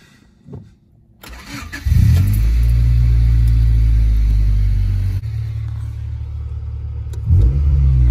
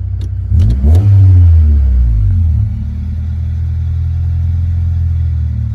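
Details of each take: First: 1995 Honda Civic started after cooling 10–15 minutes; fast idle sags partway through then climbs again; fixed by wiping down and resetting the IAC valve; idle hunting. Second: 1995 Honda Civic, fully warmed up, after wiping down and resetting the IAC valve to cure idle surging up and down: quick throttle blip rises and falls cleanly, then a smooth, steady idle with no hunting.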